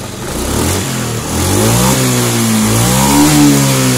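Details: Honda Scoopy fuel-injected scooter, which hesitated on throttle, after adjusting the TPS sensor position: the engine revs up and settles smoothly, pitch rising and falling evenly with no stumbling.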